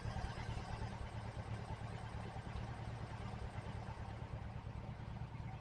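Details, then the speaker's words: 1968 VW Type 3 fuel injection after computer replacement, warming to operating temperature, idle air bypass screw turned fully in: low, steady, even idle thrum about three beats per second, no stumbles or knocks; runs happily. "mean, it sounds happy. Let it warm up."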